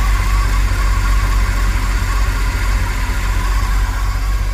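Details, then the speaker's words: 1980s Chevy K30 dually 4x4 dump truck, warming up after revving, old gas, rough-looking carburetor; lumpy idle wandering and hunting; power steering fluid full; owner suspects carburetor/fuel and vacuum leak, unconfirmed; rough idle. "but you know that is old gas and that carburetor looks pretty funky and it sounds like we've got a vacuum leak and now the truck's not very happy after giving it some gas now that she's warming up"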